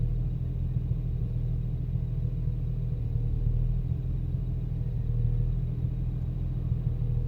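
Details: BMW 335i, rough idle after VSRF downpipes installed: deep idle rumble swelling and sagging every few seconds, idle fluctuates and car shakes; no error codes, cause unknown.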